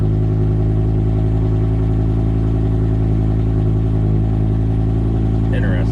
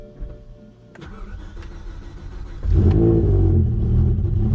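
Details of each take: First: BMW E60 M5 whose cold starts had grown rougher (owner suspects unreplaced coil packs), idling after the cold-start roughness settled: steady, even, smooth low drone with no lumpiness or misses; normal idle. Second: BMW E60 M5 cold start: it catches after a short crank and idles choppy and lumpy for about 10 seconds before settling; rough idle on cold start.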